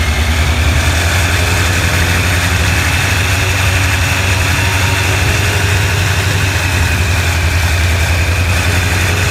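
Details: Honda CBR1100XX at idle before repair: constant metallic rattle over the low drone; slack cam chain from worn tensioner, fixed by tensioner replacement.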